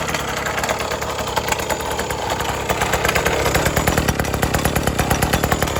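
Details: 1980s Cruise N Carry outboard after sitting about 20 years and then getting a carb clean and fresh gas, given throttle under propeller load. The crisp two-stroke buzz spins up cleanly and holds an even beat; it runs as it should.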